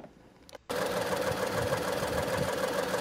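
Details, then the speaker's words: 2017 Ford Escape with code P0304: after the start, a very rough, uneven idle with the engine shaking, over 1,000 misfire counts. A cylinder misfire from a failed ignition coil and worn spark plugs. "my God so as you can hear the idol is very rough and the engine is shaking so bad Because one of the cylinder is not working properly"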